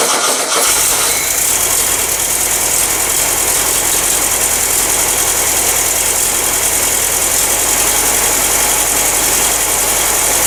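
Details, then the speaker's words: Engine, run after a generator swap and sitting two years, fuel petcocks opened, choke held closed: after a brief stumble it settles into a fast, steady, even crackling beat as it warms. Normal running. "a little bit warmer now a little bit of a stutter off the island that sounds pretty good it might be a viable engine"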